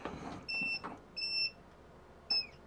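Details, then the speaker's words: Cheap eBay ultrasonic bath, plugged in and switched on: three short bursts of high steady two-tone hum cutting in and out irregularly; intermittent power cut-out, cause unknown. "yeah, see what's happening? We're getting like intermittent electricity."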